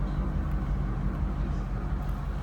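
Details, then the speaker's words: 1956 Oldsmobile Super 88 Holiday Coupe V8 heard at the tailpipe from the rear: deep, even low idle rumble with no popping or raspy edge, exhaust not loud; normal, healthy idle. "Slip around to the back so you hear it run. Nothing crazy or outlandish for loud exhaust or anything like that."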